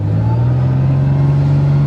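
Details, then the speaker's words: Car not started since April, on a snowy December cold start after the coil wire was reconnected: the engine catches at once and holds a strong, steady low drone with a light rev. It starts and runs smoothly. "oh well you can trust your blunder turd anyways it starts in the snow"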